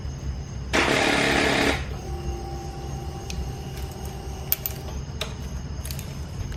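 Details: 2021 Kawasaki KLX 230 dual sport whose battery kept dying, left sitting a week: one brief buzz at the start button, then no crank. Dead battery, replaced with a same-size aftermarket battery that has worked fine.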